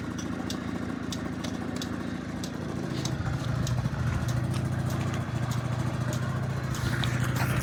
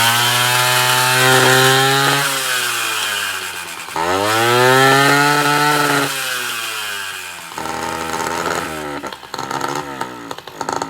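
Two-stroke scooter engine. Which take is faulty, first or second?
second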